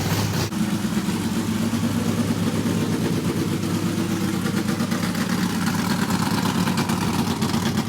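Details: Carbureted NASCAR Craftsman project truck that shot flames from the carburetor when cranked the night before, now idling on a carburetor swapped from the other truck being rebuilt: lumpy but even V8 idle that settles after starting, no popping or stumbling; normal idle.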